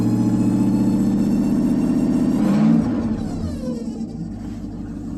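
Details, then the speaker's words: 2002 Ford Ranger with 351W V8 and automatic transmission swap, carbureted with choke, just started: a steady high whine rides over the rough idle, then fades as revs drop. Owner says the transmission is toast; timing is likely still a bit out and the carb needs adjusting. "Transmission's definitely toast, because if you can hear this,"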